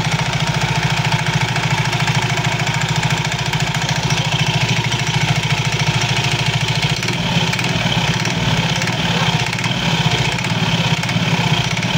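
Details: Soul GT 115 scooter idling with a steady loose clatter from the CVT, about three knocks a second, suspected to come from wear and looseness in certain CVT parts, not confirmed.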